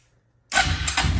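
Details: Suzuki Ozark 250 quad whose no-start was traced to the brake switch at the throttle, so it fires only with the brake squeezed hard. After half a second of quiet the engine catches at once into a steady low rumble: a normal start.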